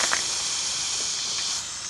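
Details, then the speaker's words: Bicycle inner tube: steady high airy hiss, gauge needle dropping, deflating very fast; tube leaking, probably no longer good. "Je sais pas si vous entendez le bruit, mais vite comme ça, je pense que le tailleur il est plus bon. Ça, c'est. Quand ça fait ça, c'est assez rapide."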